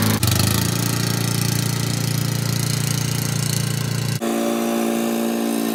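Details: Old Murray riding mower with a 12 hp Briggs & Stratton engine, mowing in 30–33 degree heat: steady mid-pitched single-cylinder drone holding even speed while cutting, then a brief dip and a lighter settled run; healthy under load.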